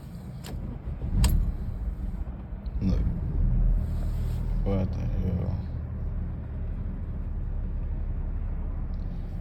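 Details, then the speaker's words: Audi A4 with rough idle and stalling, warm after highway drive: uneven sagging idle that stumbles, surges and nearly stalls, then cuts off; cause unknown, worse after hard throttle. "it's like it wants to die so bad but unfortunate to stay"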